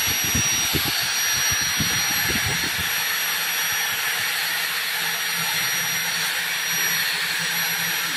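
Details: Angle grinder on a 450 W supply with a 2 A Schneider breaker and a 50 µF/450 V anti-trip capacitor from used AC capacitors; power drops to 317 W with no trip. After handling knocks, a steady high whine with no bogging. Normal running.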